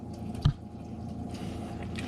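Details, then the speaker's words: RV water system being refilled after replacing a leaking valve near the hot water tank, sink left open: low steady rush of water filling the water heater tank slowly, one soft knock and faint trickling; no leaks so far. "I can hear the water flowing through the water heater tank. So we're probably filling up the tank slowly."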